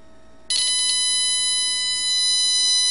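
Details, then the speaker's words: Ghazanfar Ali generator (AliGen v1) replica: ferrite cores begin singing when the battery is connected under signal-generator pulsed drive. A sudden chirp, then several steady high-pitched tones. Draws about 1.5 A, with 150 V peaks and 25 V across the cap. "When I connect this, the ferrites you'll hear them start singing."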